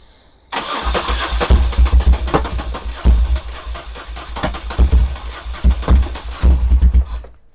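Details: 1978 BMW R100S airhead after a multi-year slumber, on choke, with a sticking carb float freed and oil full: cranks with ragged firing bursts that catch briefly and die, with lots of smoke.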